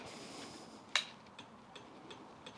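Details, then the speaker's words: Honda CBR1100XX Blackbird after its connections were wire-brushed: a relay clicks in faint sharp ticks about every third of a second, then the fuel pump primes more consistently. Cause of the clicking suspected, not confirmed. "oh no, here we go again, another clicking. Ah, there we go."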